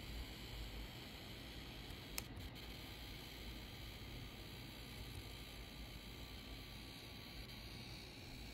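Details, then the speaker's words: Asus ROG G18 RTX 4080 laptop in silent mode, phone held an inch away: a faint, steady high-pitched whine sits under a quiet hiss at constant pitch. Suspected coil whine, audible only with an ear right at the laptop. "Oh, never mind. It is there, but I have to put my ear like literally an inch from the laptop to hear it."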